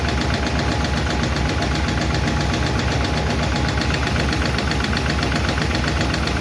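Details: 1951 Chevy engine at idle after first fire-up and valve adjustment: fast light ticking about four a second in time with the engine; number 4 intake and number 2 exhaust still clattering; valve lifter tick, may be re-adjusted.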